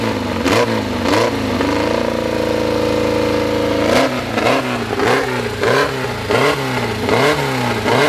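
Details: Fresh 2054 engine (Fusca) on its first start after assembly: repeated blips, then a steady fast idle at 1200 rpm, held high so parts seat in, revs rising and falling cleanly with light gear whir; healthy.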